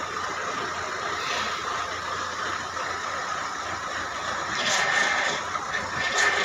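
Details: Power steering noise on an Indigo: steady high whine over the engine hum, rising at times. Cause unknown.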